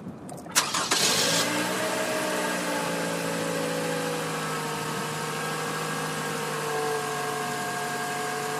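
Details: Cold start of a 2012 Toyota Camry SE petrol at 66°F with 5,000 miles, recorded with an outside microphone: quick crank, catches at once, then a smooth even fast idle with a steady whirr and no knocks or misses.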